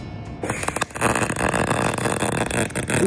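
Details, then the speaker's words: MIG welding with a bad bottle of shielding gas, machine voltage and wire feed unchanged: a harsh, uneven crackling arc with irregular pops instead of a smooth sizzle, an orange plume, dull metal and porosity; the gas is contaminated. "can already hear it I can see an orange plume coming off of the gas it's definitely contaminated"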